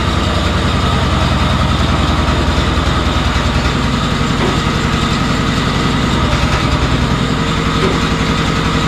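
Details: Honda RT5000 garden tractor on a test drive after brake work: the engine chugs steadily with no squeal or chirp; the brakes that were sticking and squeaking now run quiet.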